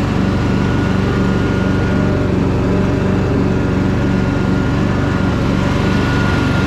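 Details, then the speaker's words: Craftsman DLT3000 lawn tractor, formerly a no-start, after purging water from stale fuel: single-cylinder engine holds a steady, even beat with no knocks or misses; runs smooth and healthy. "this thing is super nice guys really really nice tractor everything on it is really clean it's just that tiny little bit of surface rust but thing sounds awesome"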